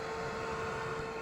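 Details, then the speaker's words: Polaris RZR Pro XP, S&B particle separator blower fan tested with key on one click after install: steady, even mid-pitched whir with no wobble or rubbing, air blowing gently from the port, no leaks; fan spinning normally. "All right, so we went ahead and put the key in and clicked it on one click, and you can hear the fan."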